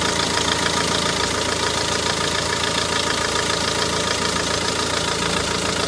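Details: Renault Megane 1.9 dCi diesel idling evenly with its usual light clatter, no squeak or squeal after replacing the damper pulley, tensioner and belt.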